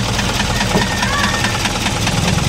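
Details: Isuzu 4HL1 diesel at idle, no hard starting or check engine light: sharp rapping knock over the idle, uneven running, heavier than normal injector clatter; damaged piston and liner from oil starvation.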